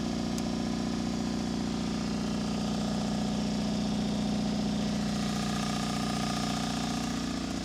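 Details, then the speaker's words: Miller Air Pak 400 welder, believed late-80s, Deutz diesel, started cold at about 35°F without ether; even steady idle near 220 beats a minute, no knocks or misses; engine in good shape; normal diesel idle. "One thing we learned, this Deutz is in good shape. It's now probably 35 or so as it's gotten dark out here, and it fired right up without ether or anything, so that's a good sign."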